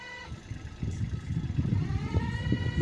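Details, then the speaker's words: Kubota tractor diesel idling with an uneven chattering knock about twice per second over the engine beat; identified as clutch noise, fixable by labour alone without new parts. "हा जो आवाज आहे तो clutch नॉईजचा आवाज आहे."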